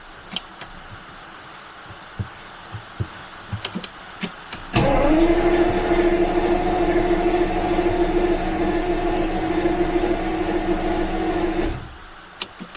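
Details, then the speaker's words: Jaguar V12 after about 1.5 months of winter storage: the starter cranks steadily for about seven seconds but it never fires. It has spark and fuel can be smelled; owner suspects something is disconnected; crank, no start. "almost as if something is disconnected let's go and have a look at that I did a quick test off camera and it has spark I can smell fuel so really strange this car has never not started for me"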